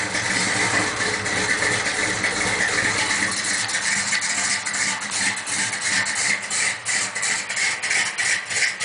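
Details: 1972 Chevy truck, 406 small-block (400 SBC, Comp 305H cam, forged TRW pistons, 5.565 rods, ported heads, 2.5 in exhaust), cold start idle; light uneven tapping through busy background; engine knock, owner hopes a crank kit fixes it.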